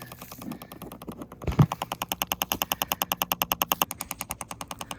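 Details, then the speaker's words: Buried sprinkler valve solenoid pulsed by a Chat-R-Box on its power line: sharp, even clicks at about eight or nine per second as the solenoid snaps open and closed, audible above ground to locate the buried valve box. "as that valve opens and closes, you can actually hear it and find where your valve boxes are for the sprinkler system in your yard."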